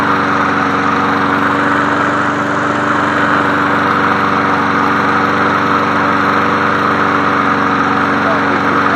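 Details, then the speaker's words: 1981 John Deere NO20K push mower, Champion spark plug in it, deck tilted up: smooth, even idle with steady hum, no stumbling or surging; runs as it should. "Man, that thing sounds good for a 1981. It sounds better to me, and I was born in 1985."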